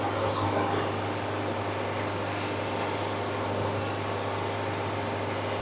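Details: Hydraulic bandsaw mill quarter sawing a log (jelly roll method), after blade rubbing and suspected crud on the band were cleared by increasing lubricant flow rate: steady, even hum with no scraping, blade cutting clean and smooth.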